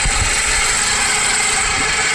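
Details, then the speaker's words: Car at idle, heard through a screwdriver held to the alternator as a stethoscope: dense metallic rattle and hiss while charging voltage drops; noise traced to the alternator, pointing to a worn alternator bearing. "that noise is definitely coming from the alternator"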